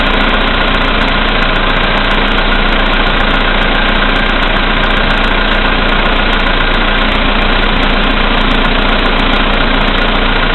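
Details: VW Polo Sedan CFNA engine, 2222 km, cold start at -5 °C after standing overnight, oil three marks below max, 98 fuel: steady idle with light regular tapping about three per second, louder with lights/heated glass load; knock, cause unclear.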